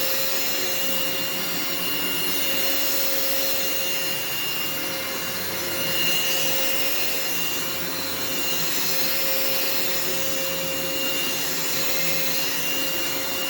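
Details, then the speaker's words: Phantom upright vacuum switched on, after a warning that it does not sound the healthiest: steady high-pitched motor and airflow rush with a faint constant tone, no rattles or surging; brush roll spins and suction is excellent. "so as you could hear and see the performance of the machine is excellent the brush roll spins as it should the suction on this is excellent especially for a phantom"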